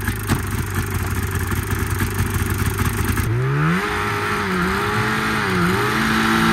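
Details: 1987 Arctic Cat Cougar 500 snowmobile (Suzuki two-stroke), long sitting, run from an auxiliary tank over suspected water in fuel: rough running, then a rising rev sags and recovers twice; cutting out, owner doubts carbs and suspects a firing problem.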